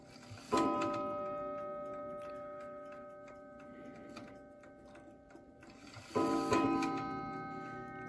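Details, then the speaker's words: Newly acquired New Haven Clock Company Horace model clock: bell strikes in two quick clusters, too fast and striking twice, wrong count at 12; strike train misbehaving, owner suspects rack and snail, cause not confirmed. "I don't think it's supposed to chime that fast and it sure isn't supposed to do it twice"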